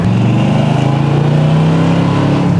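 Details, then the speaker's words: 1975 Corvette, cammed small-block V8 with 4-speed, without aftermarket mufflers, accelerating on the highway: deep, lumpy exhaust burble with an even pulsing beat, pitch rising slightly. Normal healthy exhaust note. "that small block sounds real nice. Not as nice as it could cuz it doesn't have speedy mufflers on it, but it sounds pretty nice."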